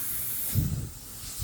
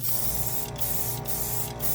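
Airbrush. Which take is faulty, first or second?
first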